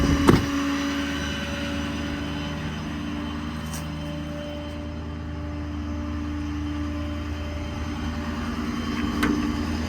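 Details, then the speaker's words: 2016 Ford F550 4x4 mechanics truck, 6.7 Powerstroke diesel, 195,581 miles, parked with parking brake set: PTO switch flipped, quick clunk and brief tone as PTO engages, then diesel settles to steady idle; normal PTO engagement. "So flip that PTO switch. You hear the PTO engage."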